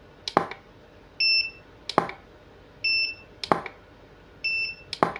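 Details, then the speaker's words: Godox SK400 studio flash after E3 error repair, tested at full 1/1 power: sharp firecracker-like pop about every 1.5 seconds, each followed by a short double recharge beep with roughly 2-second recycle; flash fires strongly, normal full-power operation. "Kalau di power tertinggi dia ditembak mesti begitu teman-teman. Suaranya rada sedikit ngeri begitu ya, kayak petasan lah begitu."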